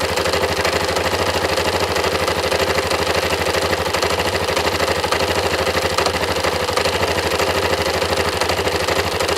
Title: engine knocking Yamaha MT03